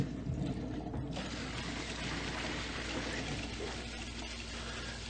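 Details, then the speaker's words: New well pump just powered up at the pressure tank, running about 6.5 amps that rise as pressure builds; steady rush of water through pipes over a low even hum as the bladder tank fills: normal pump running. "The pressure slowly coming up. You can hear the water rushing in through the pipes."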